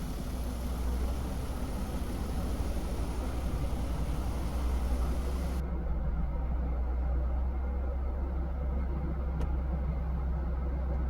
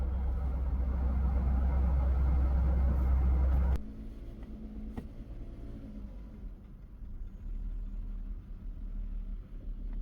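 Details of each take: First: Mercedes-Benz W202 C280 petrol engine, hot, after idle adjustment (previously about 1000 RPM in park/neutral, 500 RPM in gear): steady low even hum with no surging; normal idle, now perfect in all gears. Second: Mercedes-Benz W202 C280 petrol idling high: about 1000 RPM in park and neutral, dropping to about 500 RPM in reverse and drive; fast loud idle drops to a quieter, slower idle when the idle adjuster is pressed down.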